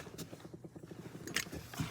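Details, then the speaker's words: Rapid, even low fluttering about eight or nine pulses a second from a chattering valve on dive gear. Soapy water showed no bubbles and no leak, so the cause is not found; a hose or light weight pressing on it is suspected. "I mean if it's holding it should be okay but um that's the sound it's making yeah I hear the chatter from"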